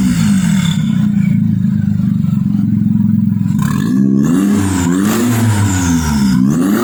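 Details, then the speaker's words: Kancil converted to Japanese AVY turbo engine: revs up and drops back cleanly several times, even steady note, no knock, rattle or misfire. Engine judged perfect, no smoke; early smoke came from spilled oil. "Okey. Ngam. Enjin ngam. Tak ada masalah. Ini enjin terbaik ni."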